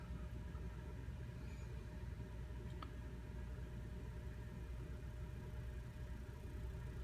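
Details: Ling LS-100 shaker, running with its cover off during an acceptance test: it is restarted on a sine test and comes up to power with a steady, even low hum and a faint fixed high tone. There are no knocks or rattles; it is running clean.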